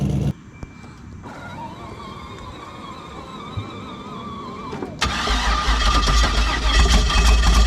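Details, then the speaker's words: Woody Wagon engine cranking after several hours of attempts, factory map not usable, hose run to ECU: quick even cranking then ragged sputtering like a bad four-cylinder or weed eater, black exhaust from one side only; misfiring no-start, injectors suspected, cam believed correct. "if you give it some accelerator it'll try to start it'll try to start but it sounds like a really really bad four-cylinder or a two-stroke like a weed eater trying to crank up it doesn't sound good at all"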